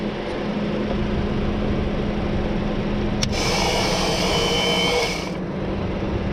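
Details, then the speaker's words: 2004-2008 Acura TSX starter hooked up, car had failed to crank; steady electric whir then harsh rasping burst about two seconds; owner suspects the failing starter, possibly flywheel damage, before replacing it. "so I'll show you guys how what my hook it up and see so you can hear the noises it makes"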